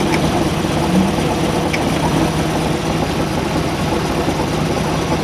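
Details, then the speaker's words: Boat at idle, steady low drone with faint whir; owner thinks the noise is a gimbal bearing needing replacement, cause not confirmed. "people have problems with easy shift and that noise you hear I think is a gimbal bearing that needs replacement okay"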